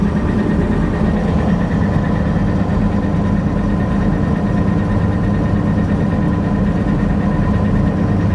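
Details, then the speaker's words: Massey Ferguson 760 diesel gives a low, uneven, lumpy rumble and is not charging. The mechanical lift pump loses prime and air leaks in on the injection rail, so fuel supply is suspected. Rough running. "that's why we quit running it because of that issue it's not running good though not charging"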